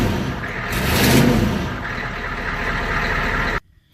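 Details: 1993 IDI diesel truck, stock injection pump before turning up fuel: fires up and settles into an even, steady idle clatter with no stumble or miss; normal start and idle.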